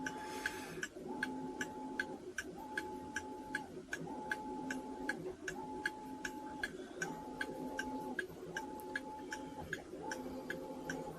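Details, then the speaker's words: Fusee pub clock movement after rebushing a pivot, cleaning, oiling and reassembly, wound and running on its pendulum: even tick with a steady beat, no skips or stalls, over faint water hiss; normal healthy ticking. "The only thing you should be hearing is the tick of this clock."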